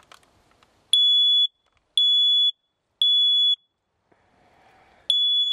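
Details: Photoelectric smoke alarm pressed on its test button before a smoldering fire test: four loud, shrill half-second beeps about a second apart, sounder working properly.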